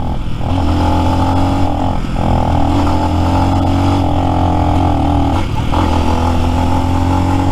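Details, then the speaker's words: New Lifan X-Pect, about 70 miles, riding downhill with throttle held: steady drone dips and stumbles every couple of seconds, hiccuping; intermittent cutting out later traced to out-of-adjustment valve lash. "see I'll I'll leave it alone for a second see if that makes any difference nope didn't last any longer reports started hiccuping"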